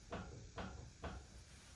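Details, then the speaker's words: Lexus GX with front jacked up, wheel rocked by hand at 3 and 9 o'clock: three sharp clunking clicks, about two a second, from a badly worn driver-side front wheel bearing with lots of play; the passenger side is less bad. "I definitely have a wheel bearing real bad out. The uh the passenger side's not near as bad as this one. But you can hear it clicking."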